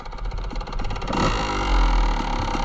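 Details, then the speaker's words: 1997 Kawasaki KDX 200 two-stroke, rebuilt and freshly jetted, idling after a first-kick start: fast, light metallic power valve rattle over its popping, then blips higher; owner first feared engine damage but read all of them do it. "Got this thing jetted nice, and you can hear that power valve rattle. When I started it for the first time, I was convinced there was something wrong with the motor, that we had messed something up, but after getting online, I guess all of them do it."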